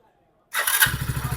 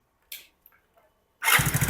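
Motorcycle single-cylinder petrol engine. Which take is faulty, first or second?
second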